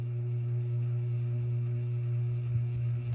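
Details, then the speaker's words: Hampton Bay Littleton ceiling fan after running in reverse loosened the housing, back on forward: strong steady low hum at fixed pitch, humming loudly, likely from the loose housing. "and yeah the Littleton is not enjoying this it's actually humming loudly now"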